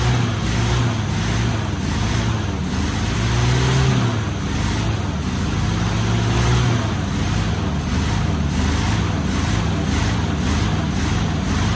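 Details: 1973 Chevy K5 Blazer 350 V8 just started after sitting about 30 years, exhaust packed with rat debris: a deep, uneven, loping idle with irregular surges as it spits out junk and burns acetone off the manifolds, then settles to an idle.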